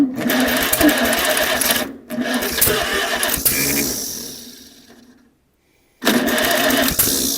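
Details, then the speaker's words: 1947 Farmall Cub after setting the valves to about .013, with one valve still sticking up: starter turns the engine in an even chugging beat, about four a second, over repeated tries. It sounds different but still won't start; ignition timing checked next. "Well, it just sounds [Music] different. Still no start though."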